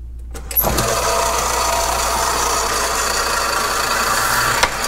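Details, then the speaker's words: Old flat-belt-driven South Bend lathe turning a welded Farmall Super M clutch pedal shaft, steady rest set, fed slowly: steady hum with light repeating tick of belt lacing passing each turn; normal running. "there's just something about the tick of an old flat belt driven tool i love it you hear that lacing coming around tick tick tick tick just sounds right"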